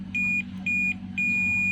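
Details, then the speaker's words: Samsung 40-inch LED TV that trips the house meter when plugged in, secondary-side power board diode lifted and checked with multimeter: three crisp high beeps over low hum, diode confirmed shorted, replaced afterward to clear the short. "selanjutnya kita ubah kembali apakah benar-benar di TNI yang soft teman-teman bisa dengarkan di suara Buster yang bunyi aja ya teman-teman"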